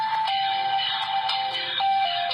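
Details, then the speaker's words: Samsung Galaxy S4 hidden service menu (*#0*#) right-speaker (Speaker R) test playing random sounds, volume buttons inactive; short electronic tones and chimes play cleanly and evenly; speaker works. "Again that plays the random sounds. Volume up and down buttons don't actually do anything, so again just purely testing whether or not the speaker actually works."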